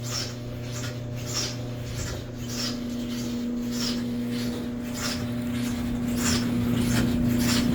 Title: the dryer is making a noise.